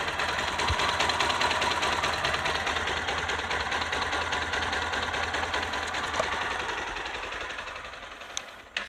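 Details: Bajaj NS200/RS/NS160/NS125-type engine, exhaust blocked to hear the engine: even, quick mechanical ticking over a steady idle with no irregular knock, then the engine shuts off; healthy valvetrain sound.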